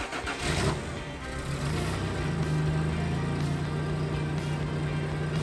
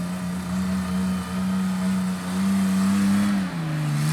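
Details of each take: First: 1989 Toyota Pickup after swapping in a used exhaust from the downpipe back and patching muffler holes with exhaust JB Weld. Steady idle, then three clean throttle blips with no puffing or leaks; normal, quieter, sealed exhaust note after repair. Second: 1989 Toyota pickup before exhaust swap from downpipe back: deep steady drone, loud and boomy, dipping and shifting pitch with throttle; worn, overly loud exhaust to be replaced with quieter system from parts truck.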